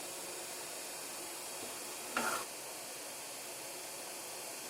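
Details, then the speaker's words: PC switched on after cleaning: at power-on a short quarter-second whooshing hiss over steady room hiss, owner asks what the noise is; source unclear, possibly a fan. "Now what the hell's that noise?"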